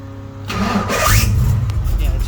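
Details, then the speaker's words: 1989 notchback during starter replacement work: harsh metallic grinding from up front over a slow crank, then the engine catches; grinding noise while cranking, likely starter not meshing cleanly with the flywheel, cause unconfirmed. "let me uh secure the battery and see why it's making that crazy grinding noise up front I mean I can't really see started what up but man it sounds god-awful"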